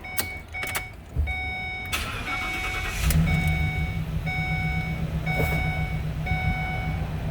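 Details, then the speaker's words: 2014 Ford E250 work van that had been sitting a while, during a pre-purchase inspection; door chime, then the engine fires up right away and settles into a smooth, even idle with no misses or knocks. "uh we start it up it does fire up nicely and seems to run well"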